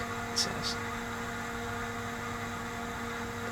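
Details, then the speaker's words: Tektronix TDS 420 oscilloscope at first power-on after being scrapped in pieces: loud steady whirring hum with hiss and a couple of short beeps; noisy cooling fan. "oh starts right up LEDs are glowing and I hear a really noisy fan oh listen to that fan"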